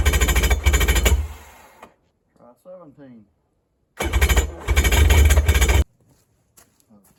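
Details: Neglected Polaris jet ski with Ficht direct-injection, previously no spark and crankcase hydro-locked with oil: two bursts of fast heavy cranking chatter with quiet gaps, around attempt 17, cranks but won't fire; fuel later poured into cylinders and intake manifold.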